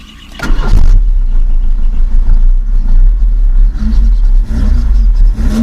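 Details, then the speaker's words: 1985/86 Chevrolet Monza Hatch SL/E 1.8, alcohol-fuelled, older engine, started slightly cold with choke: a loud, raspy low exhaust blat, deeper than a sealed system, because the middle muffler is slightly holed; engine otherwise described as very healthy. "Tá com o escapamento do meio um pouquinho furado. Vocês vão ver o motor muito saudável."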